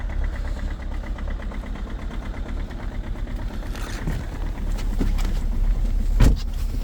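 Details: 2.0 HDi diesel with EGR off, just started at -22°C: cold idle with a loud, uneven hard clatter over the rumble, about three knocks a second. Cold-start combustion knock.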